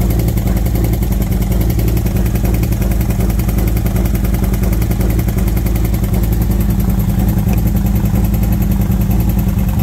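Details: V-twin motorcycle with new SS540 cam and valve springs, lifters adjusted to four full turns, warmed up at idle: fine, quick, regular top-end tick in time with the engine from the front valve cover; cause unconfirmed, owner suspects front valve train, exhaust side.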